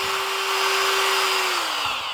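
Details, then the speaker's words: DeWalt DCS551 cordless cut-out tool kicking on by itself with the switch off: high motor whine runs steadily, then sags in pitch; uncommanded running from a short in the handle wiring caused by metallic foil tape. "That's off. And and yeah. It just kind of does what it wants. Gets crazy and kicks on you."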